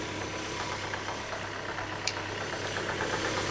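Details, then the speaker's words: Citroen C5 first start after clutch replacement: faint irregular ticking and light chatter over quiet steady idle from the belt side, not the clutch side; owner suspects a faulty idler on the auxiliary belt, unconfirmed. "I hear a noise and it seems to be coming from this side not the clutch side so I'm not going to worry about that for the minute because that's not the job we did could be a dodgy idler or something on the fan belt or something"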